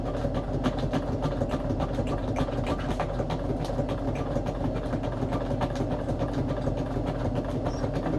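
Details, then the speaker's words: Sewing machine stitching through stiff acetate sheet with sequins for an embellishment box wrap: quick steady clatter about three and a half stitches a second, dull thump each stroke; thumping is normal when sewing acetate, not a fault. "You may hear it thumping because, yeah, when you sew through acetate, machine is not super thrilled of it about it, so it kind of makes some kind of thumping noises."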